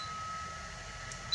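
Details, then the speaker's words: Anycubic i3 Mega 3D printer, replacement quieter heat-break throat cooling fan kicking on as the hotend heats: quiet steady airflow hiss with a faint even hum, no rattle or buzz; cooling fan running normally. "I can hear the fan running. It's drawing plenty of air."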